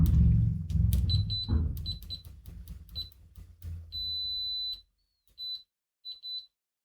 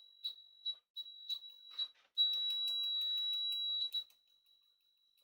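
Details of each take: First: Siglent SDM3045X bench multimeter continuity test with its stock leads: after handling clatter the high beep comes late and chatters in broken bursts; poor stock leads, which behave much worse than XZZ leads. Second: HP 34401A 6.5-digit bench multimeter continuity test: a few short high chirps, then a clean steady high beep held almost two seconds; crisp, fast continuity response, working normally.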